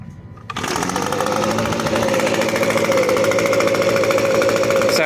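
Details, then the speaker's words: Echo ES-250 leaf blower vacuum, which would not start until the safety interlock switch was properly depressed, now fixed and tuned: the small two-stroke catches at once and holds a crisp, steady high buzz with even firing and no stumbling, running normally. "And what we're going to see is this thing runs perfectly."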